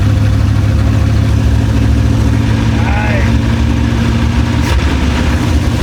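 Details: Abandoned Chevrolet C10 project engine, first start after sitting, no exhaust fitted: loud, deep, even rumble with steady firing, no knocks or misses; normal running.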